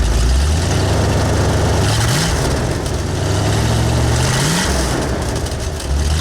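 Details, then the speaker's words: V8 on new Cherry Bomb Turbo mufflers, throttle blips: deep rumble lags before climbing, rising sluggishly then falling back; hesitation from an old speed-density injection system with a camshaft oversized for a 351 and 302. "yeah it doesn't sound bad um also if you notice there's a hesitation to it not much you're going to be able to do with it because what we have here is old speed density system and we're running a camshaft oversized for a 351 and a 302"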